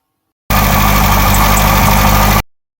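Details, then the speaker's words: 1959 MGA 1500 running at idle after radiator repair and reinstallation: even idle with a couple of faint, sharp high chirps; owner suspects a rotating component, the water pump later found needing attention. "yeah that chirping sound indicates something else may need to be investigated I'm not an expert but that sound leads me to believe it is coming from a rotating component"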